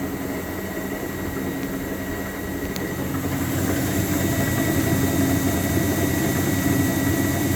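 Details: Speed Queen TR washer running: low drum rumble with steady knocking three or four times a second, growing as it speeds up; caused by play in drive pulley from loosened pulley nut.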